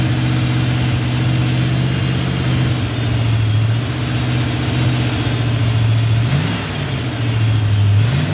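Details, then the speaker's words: Rebuilt Chevy 283 V8 at idle, restarted after a vacuum problem at the carb screw; steady even low rumble with a brief rev blip, temperature already about 180; sounds better, normal idle. "now we're going to try it again all right here we go let's start it up sound better"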